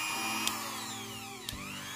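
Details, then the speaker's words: Mini grinder tested at speed setting two: high motor whine that sags and climbs, broken by sharp clicks as the switch is pressed, cutting on and off; the on/off switch is faulty and needs replacing. "Oke kalau seperti ini kalau seperti ini faktor utamanya adalah saklarnya minta ganti"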